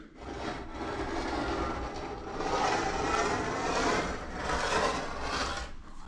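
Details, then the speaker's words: Dental office track light being swung along its track: a dry, scraping rasp swells and fades; an installation misalignment, with the arm off-center, was dragging on the bar and leaving witness marks; the installation issue was corrected. "something is grinding on the inside there and um it feels like it's grinding"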